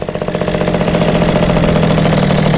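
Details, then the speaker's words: Yamaha Jog CE50 70cc scooter, freshly rebuilt with aftermarket carburetor, idle hunting up and down with no vacuum leaks; uneven popping settling into a strained flat drone, bogging, owner unsure lean or rich. "it bogs, and I can't tell if it's a lean bog or if it's a rich bog."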